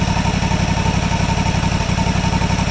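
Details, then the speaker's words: Deere GT235, 1200-hour air-cooled Kawasaki V-twin, cold; throttle plate pushed to the stop screw, slowing toward 1450 rpm minimum, reading low because cold; even, low thumping idle, no hunting or surging. "So there, guys, you can see the governed idle that it's sitting at right now."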